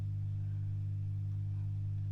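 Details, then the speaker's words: Late 1940s–early 1950s Masco MA25N tube PA amp, not powered for years, being brought up on voltage; loud steady mains hum grows stronger as voltage rises, because the filter capacitors are completely shot. "but I think we can safely say that the the Caps are shot completely and utterly and you can hear the humming is much stronger now as we've we've got"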